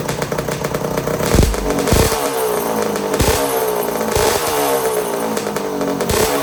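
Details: 1982 Suzuki RM125 two-stroke during restoration, after suspected carburetor starvation and a part swap: crisp running with repeated throttle blips, revs rising and falling cleanly without misses; sounds nice, runs properly.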